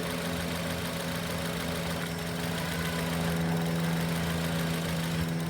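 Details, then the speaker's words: Idling engine on an 8-channel fuel and ignition scope, with the crank sensor deliberately grounded slightly. The idle becomes uneven and labouring, stumbling and briefly cutting out: misfire from crank sensor signal dropout. "You can hear the engine kind of labor and just cut out ever so often."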